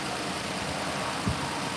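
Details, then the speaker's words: Lexus RX 330 after replacing upper and lower intake manifold gaskets, both knock sensors and the knock sensor harness. First start after the repair: a smooth, steady, even idle with no knock or misfire and no coolant leaks. Normal idle. "then we got to see what to do. Motor sounds good. And we don't got no leaks."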